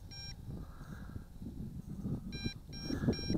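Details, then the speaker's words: MJX Bugs 2W FPV GPS drone, about 120 m out in open desert, at two battery bars: the controller gives short high-pitched paired beeps over wind and motor noise as a low-battery warning, and the drone does not return home automatically. "see I'm feeling uncomfortable so I'm going to bring it back in manually but it does warn you it gives you plenty of warning hear that beeping"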